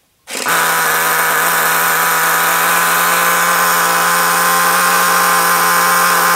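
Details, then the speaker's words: RC nitro car engine idling at the lowest throttle setting: steady, piercing high-pitched scream that never settles, idle speed far too fast; owner unsure of tuning, possibly lean. "okay um so yeah as you can hear it's very very fast"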